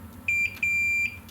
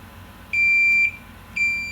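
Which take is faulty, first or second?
second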